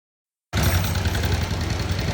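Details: 2010 or 2011 motorcycle engine run out of oil: harsh gravelly rattle over a low, uneven idle, owner's complaint of a rough noise from oil-starved, damaged internals.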